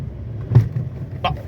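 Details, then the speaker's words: Fiat Argo HGT 1.8 with 115,000 km, driven a bit faster over speed bumps: dull thump then sharper knock over road rumble, suspension clunk suspected from the stabilizer bar. "viu barulho pancada que ele dá ó min outro ali"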